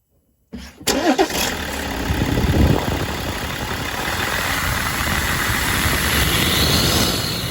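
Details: 2007 BMW 5 Series diesel, 177,500 on the clock, with charge air pressure codes; after the sticking turbo vane actuator bar was freed, it cranks, catches within a second and settles into a steady, even idle with no whistle. Fixed.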